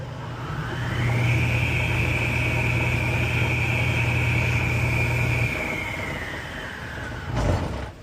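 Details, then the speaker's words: Table saw's 1 hp 3450 rpm GE motor after 6203 bearing replacement: smooth hum, whine climbs to speed and holds, then winds down evenly with a sound at stop; bearings healthy, no grind or rumble. "Oh, it's when it stops that it makes that sound. Okay, cool. Well, that sounds that sounds decent."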